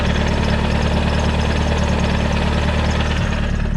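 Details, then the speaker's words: Turbocharged SR20 S13 Silvia with a 6-speed swap, at idle with the clutch pedal pressed: a loose, uneven knock about three times a second. It is said to be the clutch thrust bearing and normal for this swap, not a spun bearing. "That knocking noise. I thought I spun a bearing in this fucking thing when I picked it up, but it's actually just when you push the clutch in. It's just a thrust bearing, and apparently they all do this with this 6-speed swap."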